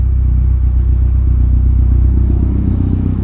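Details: 1983 Porsche 944 with a new full exhaust system, started after sitting with good oil pressure; deep, even exhaust rumble with a steady firing beat and no knocks or misses, running healthy.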